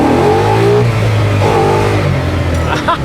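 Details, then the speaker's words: 1966 Mustang fastback authentic restoration with over 400 hp and a manual transmission, given a short burst of throttle while driving. The V8 pulls hard with pitch rising quickly, clean with no misses or knocks: normal acceleration. "la verdad fue nomás un picancito para tantear qué tal pero viste qué rápido revolucionó cabrón"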